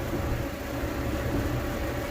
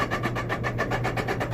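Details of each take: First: Electrolux dryer after replacing the blower motor that caused the grinding: steady, even hum with a faint constant tone and no scraping or grinding; the dryer runs smoothly. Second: Electrolux dryer, heating element still working, hums steadily under a rough rhythmic grinding of about seven scrapes a second; suspected bearing issue, blower fan rubbing.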